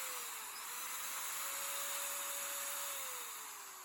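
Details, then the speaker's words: Makita 4-inch angle grinder, a street find with a broken switch button, stiff switch, and gear and spindle-lock detent needing replacement: clean high motor whine rising and settling with speed, no grinding or rattling; the motor runs fine. "Actually sounds very nice. It might be worth fixing, but I would need a new gear and I would need a new detent mechanism."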